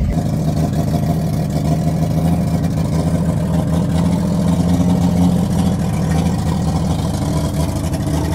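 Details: 1954 GMC 150 three-quarter-ton with its six-cylinder, revived after sitting 35 years with new plugs, wires, rotor and fuel line, moving in first gear: deep, even exhaust note, no knocks or misses; running healthy.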